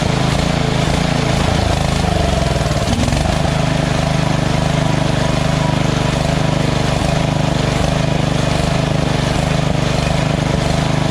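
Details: Lawn tractor engine at lowest idle setting after the surging carb was replaced with a Chinese-copy Nikki 590399, O-ring intake manifold and backward curved fuel nozzle: even, steady low putter holding one speed, no hunting; idles smoothly.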